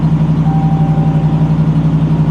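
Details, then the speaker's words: Ram Bighorn pickup with Badlander package, 40,000 miles, damaged wheel: loud deep lumpy pulsing drone about ten beats per second; sounds like a nasty exhaust leak. "Sounds like it's got a nasty exhaust leak too."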